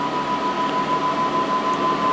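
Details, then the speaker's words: Power Mac G5 Quad Core: after the first successful boot a red indicator light comes on and the cooling fans kick in at full speed, giving loud, steady rushing air with a constant high whine. "that red one comes on right there and there you hear the fan just kick in really loud"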